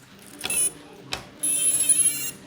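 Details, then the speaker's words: Idle quadcopter after a waterproofing build and flight test: high, thin beeps repeat as its water-damaged ESC stack resets itself over and over; afterwards it won't arm, one motor won't spin, OSD flashes. "Hear these beeps that keep happening? Well, that's the stack resetting itself over and over again."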